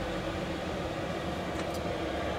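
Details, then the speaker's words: Cheap Chinese diesel parking heater in a Land Rover, switched off by remote: soft steady fan whoosh with no burner roar or rattle as the blower runs on while the heater winds down; normal shutdown. "and then you can switch it off so that will take a while to wind down but that's really cool"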